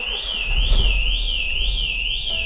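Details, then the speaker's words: Smart Brabus fortwo 453 with Pandora Smart Pro alarm, set off by a start attempt while armed, immobilizer engaged: loud warbling siren sweeping about three times a second, cycling for 30-second periods; car alarm triggered. "hier ist der Anruf hört ihr das 30 Sekunden die Sirene muss ausgehen die geht jetzt wieder an"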